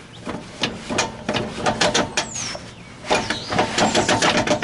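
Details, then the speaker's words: Jeep TJ Dana 35 rear with Spartan lunchbox locker, after service with 75W-140 gear oil, in a tight turn: irregular light clicks three or four a second with faint squeaks, normal ratcheting, slightly quieter. "yeah for sure that's a little bit less so that's the noise you can expect to hear when you're going around a really tight curve ch ch ch ch I don't think you'll really hear it too much"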